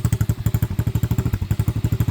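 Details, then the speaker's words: Venom Madix 125 quad (PZ20 carb): quick even thumps about ten a second with metallic clatter each beat, loose exhaust rattle; owner considers taping it; slight miss also noted, valves to be checked later. "This exhaust fucking rattles like a whore, and I don't know if there's a way that I can like tighten it up or not. You know, I could always wrap some tape around it probably, but yeah, she rattles like crazy."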